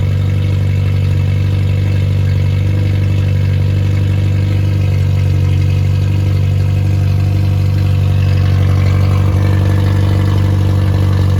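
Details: Freshly rebuilt Triumph Spitfire 1300 (1296cc) with new pistons, bearings, a 270-duration cam, oil pump and guides, a shaved head (~8.5:1), compression 137–140 psi and 75 psi oil pressure: a steady, even idle with a smooth low pulse. A healthy fresh engine.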